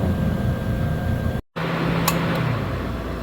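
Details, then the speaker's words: 2010 Subaru Forester with intermittent crank no start, key on engine off, battery charger connected: cooling fan whooshes and cycles, AC clutch clicks engaging; D-check test connector found wrongly connected; MIL flashes slowly when running. "so I've got the battery charger on it set at 3 2.6 Vol and you can hear the radiator clu F cycling on and the AC compressor engaging"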